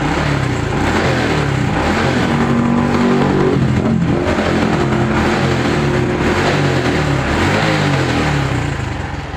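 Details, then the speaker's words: Honda Blade 125 fuel-injected motorcycle, kick-started, neutral light not working (fuse suspected): small single revs up and down with an even exhaust beat, no rattles or misfires; engine sounds smooth and normal. "motor normal ya ini suaranya adem halus"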